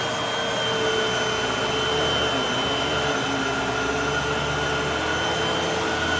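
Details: Hoover WindTunnel 3 High Performance Pet upright vacuum after a brush roll belt replacement: steady, even motor whine with the brush roll spinning smoothly, no slipping or squeal; running normally.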